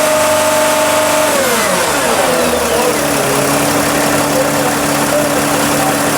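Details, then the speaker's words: Sprinter van, 3.0L diesel, high mileage, with DPF codes, DTC 2626, low power and unable to exceed 50 mph: idles then revs to a strained drone; exhaust back pressure reads about 2 PSI (over the 1 PSI limit), so the DPF is clogged. "I mean the gauge definitely went over one PSI okay we were reading about 2 PSI when Matt was revving the engine so this DPF is clogged"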